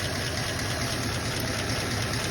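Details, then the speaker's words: 1934 Ford coupe flathead, original and sitting 20+ years, running after its original coil was reconnected (something suspected wrong inside the distributor housing): low, even idle with a soft steady beat and no misses or knocks. Smooth idle. "Now, I must have had something real squirly going on inside that distributor housing, but I just hooked up my original coil and you hear it."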